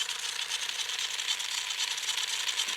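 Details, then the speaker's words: Tamiya Super Sabre RC chassis, gearbox bench test with motor installed before fitting: steady, high, even whirr of motor and gears, no grinding or catching; gearbox spins freely and works in grease. "right no grinding our drive is spinning nice sounds good gets that grease worked around too"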